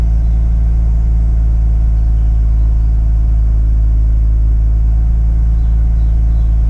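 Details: Mazda RX8 rotary cold start: deep, steady rumble held at high cold idle with no obvious stumble after initial seconds of misfire; misfiring later traced to incorrectly wired injectors.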